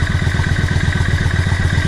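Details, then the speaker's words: Yamaha XVS650 Dragstar/V-Star 650 after carb tuning: 22.5 pilot jets, 120 main jet, needle raised one slot, slide spring clipped, mixture screw 3.5 turns out. Warm, set to about 1000 rpm idle. Even, lumpy V-twin idle with no misses; runs cleanly. "That sounds fantastic. It really, really sounds like it's got a little bit more purpose."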